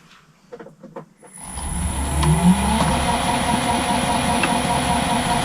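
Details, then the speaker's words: Old lathe after oiling main bearings, started at unknown, slightly slow speed before switching to 1-to-1 pulley: clicks, motor spins up in about a second, steady even hum, no knock or rattle: normal running. "Okay, start it up. I don't know what speed it is, so it's a little bit slow actually."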